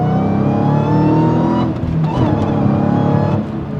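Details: Manual Dodge Challenger Hellcat after replacing a supercharger with noisy bearings with a take-off unit from a later model-year Hellcat: clean high-pitched whine climbs with engine speed while pulling through the gears, no bearing growl underneath; normal supercharger whine.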